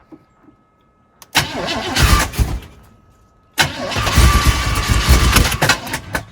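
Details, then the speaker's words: 1976 K5 Blazer, off the road since 1997, fed fuel through the vent tube with the accelerator pump working: it cranks, runs roughly twice for about two seconds each, then dies; owner suspects flooding. "whoa I have a feeling it's getting flooded or something [Laughter] we out of fuel we are getting fuel from the squirters so uh why did it stop"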